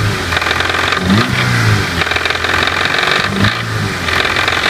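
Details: Toyota Levin AE92 4A-GE engine revved up and down: metallic rattling tap rides on top as revs rise; engine knock under throttle.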